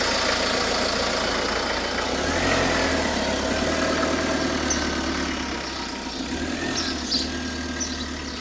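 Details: 2008 Ford Focus 1.8 TDCi diesel after replacing an edge-worn 18-month-old serpentine belt, tensioner suspected as cause: engine catches and settles into an even, steady idle with no belt squeal or chirp; sounds healthy.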